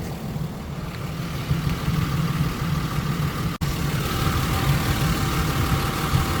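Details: 1999 Isuzu VehiCROSS after fixing knocking (loose timing belt 1-2 teeth off, collapsed tensioner; replaced belt, idler, tensioner, pulley, water pump, coolant): steady low idle rumble, no knocking or ticking; engine idling normally.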